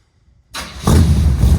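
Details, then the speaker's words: 1976 Chevy C10 with a 400 small-block V8, first fire-up with both mufflers fitted on the new dual 3-inch exhaust: brief crank, then it catches into a deep, even, burbling rumble; clean, healthy V8 start. "all right this is going to be the first fire up with both of the Mufflers on this"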